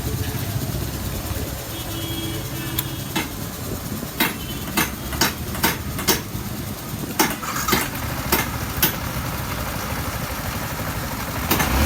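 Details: Yamaha R15 V4 after repair of engine noise (timing chain, cam bearing and rocker work): a steady single-cylinder idle with a few faint scattered clicks in the background, holding an even beat. Normal idle.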